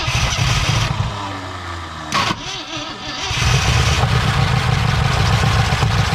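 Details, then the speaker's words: 1968 Ford F100 Ranger on its first start in years, after a stuck engine and burning off mystery oil and smoke: a deep, uneven rumble that dips and labours against the drivetrain because the transmission was left in drive. Rough running under load. "Oh, she sounds rough. Sound like she's going into gear. You feel it move?"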